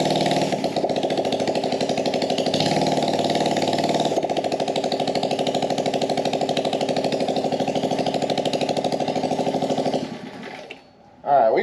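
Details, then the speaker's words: Small carbureted engine on a gas Power Wheel build, started with brake cleaner, no air filter or muffler: raspy unmuffled pulsing about three times a second, uneven beat, then dies; owner suspects lean running. "now this thing isn't running 100 great because it's probably running lean we got no air filter on the carb so nothing restricting the air coming in"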